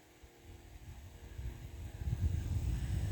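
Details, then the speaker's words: Fan after replacing the motor that had squeaky worn bearings: spins up with a smooth rush of air, completely silent, good spin-down. "it actually blows air now it's completely silent remember how loud it was before the spin down's pretty good too"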